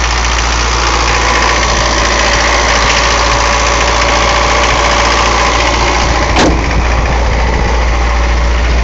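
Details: Mercedes 240D diesel producing white smoke: loud steady clatter holding a fast, even high idle that won't settle down.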